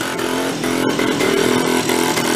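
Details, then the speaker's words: Benelli Andretti Z50 two-stroke scooter, 500 miles, exhaust flange opened with exhaust leak, air cleaner partly off: flat strained buzz never climbs with throttle, loaded up with oil. Engine bogs under throttle. "won't take any throttle [Music] i'll let it run for a while clear up some of the exhaust [Music] makes no difference"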